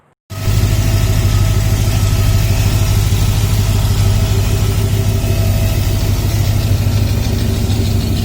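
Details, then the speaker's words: Freshly rebuilt Ford Ranchero with new gaskets, 3-speed automatic, not yet timed, no mufflers fitted. Starts and settles into a deep, very loud, raw rumble at a steady idle; open exhaust with some backfiring at the top. "It's very loud. Definitely needs mufflers. Whew, it's loud."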